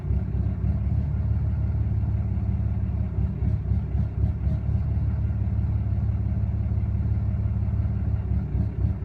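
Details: 2013 Ram 6.7 Cummins diesel, fully deleted, Bully Dog shows P04DB CCV code, no check engine light, FCA replaced without help: rough surging idle rising and sagging with irregular knocking; burps off throttle, runs fine at open throttle; cause unknown.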